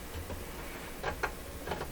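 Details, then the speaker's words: 1937 Rogers Majestic 7R622 tube radio: sharp irregular clicks, about three in two seconds, from the tuning mechanism as the dial turns; very clunky feel; cause unknown. "this one is like the worst feeling thing I've ever clunky oh I don't know what would make it make it like that"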